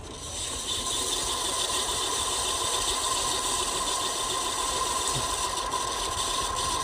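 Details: Ceiling fan running with a steady high-pitched whine and constant scratchy rattle from a dried-out bearing; windings and capacitor checked fine, and the fan also runs slowly on a direct line.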